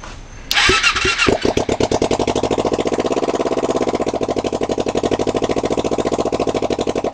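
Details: Rebuilt 2007 Kawasaki Ninja 250 twin with a used 1995 head started with no exhaust, on choke, jumped from a truck battery; loud raw crackling bark like an angry lawn mower, fast uneven idle. Owner suspects worn valves or rich running on cylinder 2.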